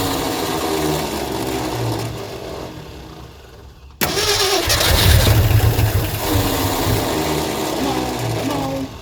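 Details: 1972 Ford F350 Custom abandoned one-owner truck, big-block V8, four-speed, after the fuel line was refitted to backfill the pump: starter grinds at about three and a half turns a second, catches briefly then fades. Fuel starvation, cranks but won't start.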